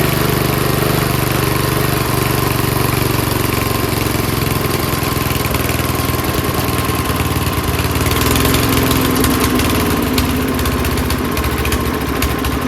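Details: Small single-cylinder engine, now running on gas after a spray start on choke; it chugs along at a steady fast idle, firing evenly with no stumbling or dying, running normally.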